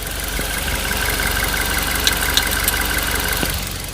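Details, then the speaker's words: Suzuki Ertiga petrol engine idling, heard in the engine bay: sharp triple tick, three quick clicks every few seconds from the right side of the engine. "terdengar ya suara ketukannya cetak-cetak cetak Sampai Tiga Kali dan itu setiap beberapa detik pasti mengeluarkan suara yang sama ya"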